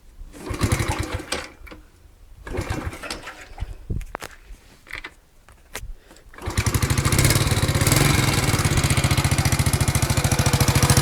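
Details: Alfa moped small engine with new piston kit, valves not leaking, magneto and clutch fine: starts, then sharp regular tapping about three times a second over idle; engine knock, source unknown to owner.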